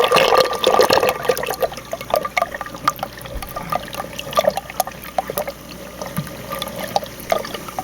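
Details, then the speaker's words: 150-gallon aquarium overflow box drain with the lid lifted, before the hose modification; irregular gurgles, splashes and sucking bursts, about one or two a second, over running water as trapped air is gulped. "when you lift this off you can kind of hear it a little bit I mean this helps to silence it some but let me show you what I did I this is how loud it was originally"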